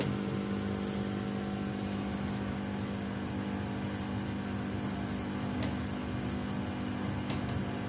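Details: Samsung WW75TA046TE/SP replacement washer, sixth day of use, noise worsening each wash: steady loud drone, strong low hum, faint occasional clicks during wash; loud abnormal noise, cause unclear.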